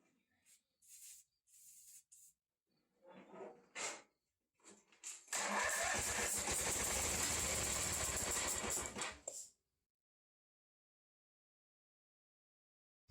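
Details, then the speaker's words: 1985 Ford YT 16 garden tractor cranking: uneven beats at about four a second with a sharp high-pressure hiss on one cylinder's stroke, where a cracked head gasket leaks compression. Blown head gasket. "if you could hear that little uh like high pressure hiss sound like when it would when it would normally fire uh that would be this cylinder the head gasket is even though it's just one little crack it's apparently blown"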